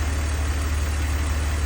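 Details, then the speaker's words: 2002 BMW 330Ci idle: smooth steady low hum, no ticking or misses; earlier tick gone, cause unknown, suspected collapsed lifter or slightly under-torqued plug; idles evenly, healthy. "I like it when the problem goes away but I don't like it when I don't know what the problem was to begin with so but ultimately she's running good"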